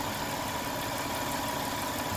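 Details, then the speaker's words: 1992 Lexus ES300 after ECU change, new cap and rotor, cleaned throttle body, new air and fuel filters, catalytic converter and Y-pipe: smooth, even idle with steady tone, no shakes, vibrations or misfire. "my point was the engine is really sounded good no shakes no vibrations"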